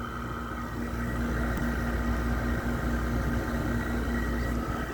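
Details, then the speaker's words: Frigidaire window air conditioner running: constant deep hum with a buzzy edge and an uneven rumble, rougher and louder than expected. The owner thinks it is an LG compressor but it sounds like a noisy GMCC. Noisy, rough-running compressor. "i think it does for some reason it sounds like a gmcc a bit but it's a very noisy gmcc typically the gmcc's are somewhat smooth and i don't run this rough"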